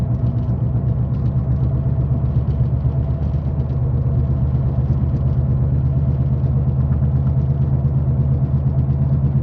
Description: Sound of bad wheel bearing needs to be replace asap